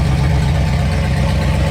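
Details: Supercharged 7.0L HEMI stroker V8 with Whipple supercharger in a Jeep JK, fitted with a custom double-radiator cooling system: deep, steady, even-firing idle with a strong low rumble and no misses or knocks; a healthy big V8.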